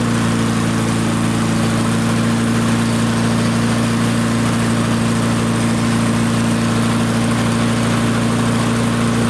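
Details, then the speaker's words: Barn-find Murray push mower, Briggs & Stratton engine, run without air filter while setting speed toward about 3400 rpm before fine-tuning; steady even high-speed drone, constant pitch, no misses or surging; runs smoothly. "And I know the air filter isn't on, but uh for for the moment, for the time being, let's just see how close to uh like 3400 RPM we can get it, and then we'll fine-tune it later."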